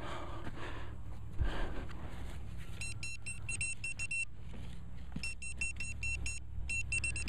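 Bursts of quick, shrill beeps in rapid clusters between scraping and digging; the pinpointer is signalling a close metal target.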